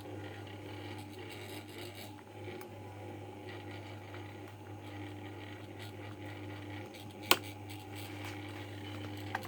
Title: Rattling and buzzing noise my okayama OK1230 stand fan